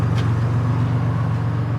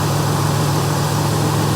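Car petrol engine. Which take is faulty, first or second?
first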